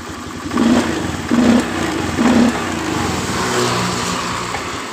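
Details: 2013 Honda Beat FI scooter, restarted after a fix for high fuel consumption: a few quick throttle blips, then a steady, even idle with no hunting or misfire. It runs normally.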